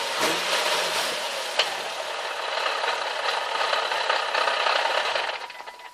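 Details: Nissan 370Z after first drive home on a newly installed JWT flywheel and clutch kit: dry metallic rattle about four times a second at idle, bright and loose, then tapering; massively increased gearbox idle rattle.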